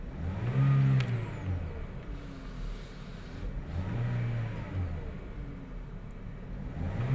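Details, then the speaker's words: 2017 Toyota Vios 1NR that misfired on cylinder 3 and jerked pulling away in first gear, after one ignition coil was replaced: revs up smoothly with no stumble or jerk, even and clean; normal acceleration. "start accelerate natin Okay na ang acceleration niya basahan natin ng scanner obserbahan natin ang ilang acceleration"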